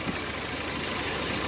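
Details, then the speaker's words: 1990 Chevrolet S10 Blazer 4.3 V6, fresh plugs, wires, cap and rotor, warm (about 170°F, 40 psi oil pressure): slow, steady, even idle with no misses, around 650–700 rpm, where it should be 800–1,000; idle too low. "See how it's idling too low? Now, this ain't right. Sounds like it's like 700, 650 RPM or something like that. It's way too low. It should be like 800 to 1,000."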